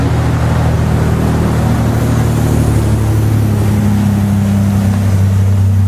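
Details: Mazda/Ford Ranger project truck with newly fitted street-legal exhaust (one hanger so far, power steering pump swapped): deep steady rumble rising slightly when revved, no rattles or ticks. Normal exhaust note.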